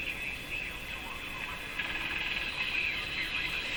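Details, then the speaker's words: Sparton Model 5049 radio tuned just below the IF oscillation point into the regenerative zone: a high steady whistling squeal over a hissy background, short of full oscillation. "It's actually in the gray zone. It's in the regenerative. You have no oscillation. Then you have regeneration. And then the full oscillation."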